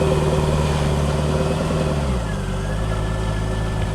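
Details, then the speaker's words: Newly delivered, well-kept Corvette stored in a bubble for a long time: a deep, even V8 burble settles to a slightly lower steady idle with no ticks or misses. It sounds clean and is a normal idle. "That's great. Yeah. Sounds clean."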